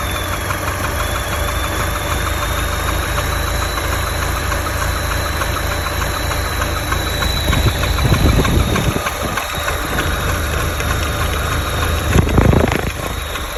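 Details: Opel Meriva B engine at idle with uneven light clacking and rattling over a steady idle that never settles into a clean rhythm; engine clatter, cause unknown.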